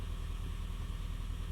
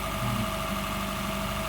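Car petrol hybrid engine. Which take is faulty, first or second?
first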